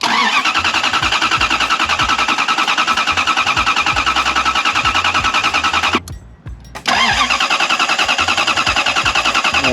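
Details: Lexus LS400 that doesn't run, cranking after a new fuel pump relay was fitted: fast even cranking about 3.5 strokes a second for nearly ten seconds without a catch, apparently no fuel getting in; crank no start.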